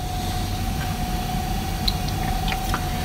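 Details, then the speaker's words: Vintage Twinhead Slimnote-486E laptop (486DX 33 MHz, 640K, Windows 3.1) found in a water-damaged, rat-infested building, powered on: a steady thin hard drive whine at one pitch over faint hiss with no clicks or grinding, spinning up normally. "so we're going to hit the power button there and you can hear the hard drive spinning up on it"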